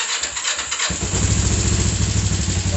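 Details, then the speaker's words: Kawasaki GPZ 500S 498cc carbureted twin, first start since rebuild and service, choke on, fuel tap on: quiet about a second, then catches at once into steady lumpy idle; surprisingly easy normal cold start. "wow that was a surprisingly easy start they could have been filled in the carburetors"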